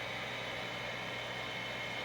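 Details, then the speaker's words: Overhead gas shop heater after blower motor repair with two skateboard bearings: steady, even fan whir with a smooth airy hiss, no rumble, grind or bearing chirp; blower runs quietly again, normal. "let's go over and have a listen oh yeah back to way she was nice and quiet"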